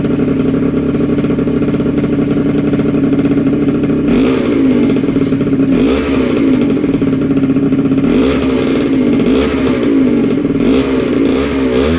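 Two-stroke buzzes at a steady idle, then rises and falls with blips of the throttle, picking up crisply and running evenly throughout.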